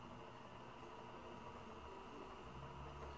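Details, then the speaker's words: Sanyo VCR 7200 Betamax player during a playback test: a quiet hiss and hum with a faint rough, uneven churn from the tape transport. It is spinning but doesn't sound smooth; it later plays, with lines on the picture. "oh it doesn't sound great nothing displaying on the tv i mean it sounds like it's spinning"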